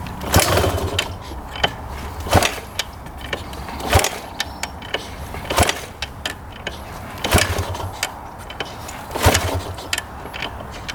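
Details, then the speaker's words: 1997 Yamaha YZ250 two-stroke, as bought, non-running: repeated kick-start strokes every couple of seconds, each a short compression whoosh; seller said it always sounded close to firing but never would; kicks over but won't start. "You can kind of hear it when I fire up, and the seller said it would kind of sound like it was going to fire, but never would."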